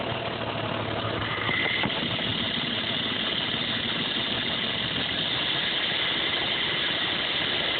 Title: 87 Cherokee/Wagoneer limited rough idle